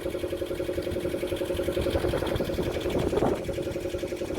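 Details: Roughly 40-year-old diesel of unknown make and model in a Snapdragon 24 boat, just got running: steady, even clatter of about four beats a second at idle, no stumbles; normal idle.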